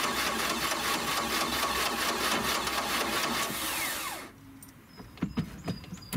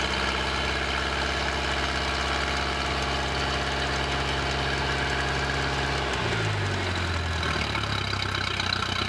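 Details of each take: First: 1986 Four Winns 170 Horizon with 3.0L MerCruiser, first start after winterization, carb primed with a few pumps: about four seconds of steady cranking at roughly two pulses a second without catching; slow to fire, may need fuel pressure built. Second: 1986 Four Winns 170 Horizon boat's carbureted 3.0L Mercruiser, first start after winterization, after some cranking to fill the carburetor: steady, even idle with a smooth low rumble, no knocks or misses; running cleanly.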